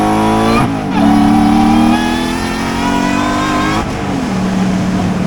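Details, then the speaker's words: Supercharger swapped for a louder unit on a drift truck: clear whine climbing and dropping with engine speed over a strong exhaust note, smooth and steady; the supercharger sounds healthy, though an exhaust leak, possibly from the header, is suspected. "Supercharger sounds good. Everything seems to be working. Very nice."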